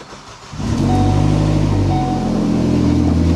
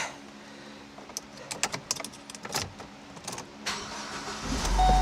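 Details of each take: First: 2012 Ford Focus SEL 2.0 petrol engine starts and runs with a loud, deep rumble from an exhaust leak. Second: 2012 Ford Focus SEL 2.0 started after repairing the exhaust leak, where nuts were missing from the studs and the gasket was hanging out: smooth steady drone with no ticking or puffing. Exhaust is sealed and now comes out the back.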